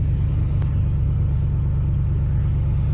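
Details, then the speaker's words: 2003 Ford F-150, an ex-plow truck, started cold: steady, deep, even rumble settling into a smooth idle with no knocks or misses; runs pretty good. "Let's go start it up here and see how she runs. Seems to run pretty"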